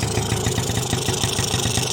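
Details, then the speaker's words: 1986 Yamaha Razz two-stroke scooter before repair, started with one kick: a rapid, uneven, rich burble with a hissy top end while fuel dumps straight out of the carburetor. The float valve is overfilling the bowl (ethanol blamed), so the carburetor floods. "oh there it goes wow wow why is it okay that's dumping gas why why why it's dumping it right out of the carburetor"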